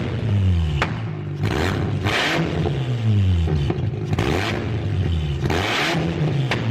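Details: BMW E36 ute with a 13B rotary, first start after rewiring: harsh, raspy revs in repeated loud blips with a blatty crackle; open header with no muffler, one to be welded on.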